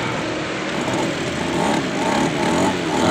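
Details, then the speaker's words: Stihl brush cutter two-stroke that would not start after 100 pulls, now after carburetor service and spark plug refit. It buzzes at a steady high idle with no misses or surging, running normally. "sudah hidup normal. Guys, enggak ada masalah lagi. Mudah-mudahan mesinnya normal kembali tidak ada masalah."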